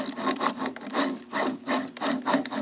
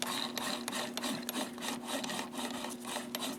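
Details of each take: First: Zeiss SL-120/130 slit lamp joystick elevation makes a rhythmic dry rasping, about two strokes per second. It moves freely but is too noisy, and the owner thinks bearings need a little lithium grease. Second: Zeiss SL-120/130 slit lamp joystick elevation after a small spray of white lithium grease in one spot: soft, dry rubbing strokes about three per second with no harsh squeak or grind. The mechanism is now much quieter.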